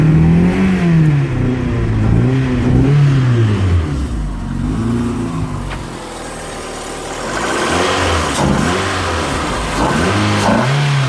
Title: Cold misfire and won't rev